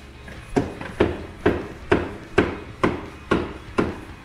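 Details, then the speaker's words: Can-Am X3 with all axles already replaced, driveline rocked by hand to replicate clunking and thumping heard while riding; sharp metallic clunks about twice a second from a suspected failed Sandcraft carrier bearing. "on that ride we're hearing a lot of clunking and thumping and sauna filling in a floorboard so I try to get out and replicate the noise and basically this is what we were hearing"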